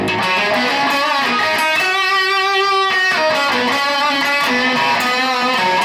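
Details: Mojotone British-style 100W Plexi kit amp running only the two middle EL34 output tubes after unbalanced tube current caused fizz: clean guitar chords ring clearly with no fizz or crackle; normal clean amplifier tone, issue possibly intermittent.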